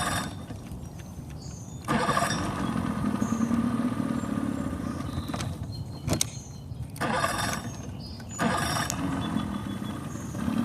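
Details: Boat engine that won't start or stay running: catches, runs unevenly, dies back and picks up in bursts, only running with choke pushed in; owner suspects it is not pulling fuel from the tank well enough.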